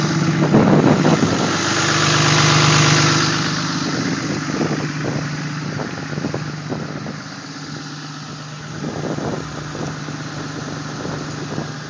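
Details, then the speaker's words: Cummins diesel cold start at 27 degrees with exhaust brake engaged goes straight into high idle: fast, even diesel clatter with a faint turbo whistle on top; healthy normal cold start. "okay here we go right up into high idle so simple let me see you should be able to hear the turbo whistle there it goes"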